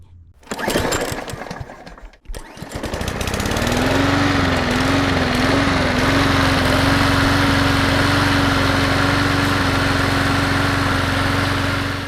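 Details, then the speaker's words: Craftsman M230 push mower after tune-up for hard starting and smoking: pull-start clatter, then the engine catches and settles into a steady, even drone with no misses; healthy running, ready to return. "This thing for a regular tune-up, standard cleanup, is all ready to go back to the customer, and he'll be happy with it for at least the year to come."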